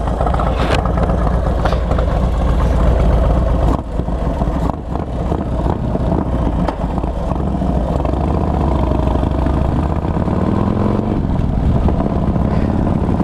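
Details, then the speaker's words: 2005 Harley Dyna Wide Glide 107 build with Feuling 574 cams, Thunderheader exhaust, about 200 miles since rebuild, oil changed twice. Deep, even V-twin lope, quite loud, with no knocks or ticks. Normal idle. "but it's got a nice deep tone to it. I mean, quite loud."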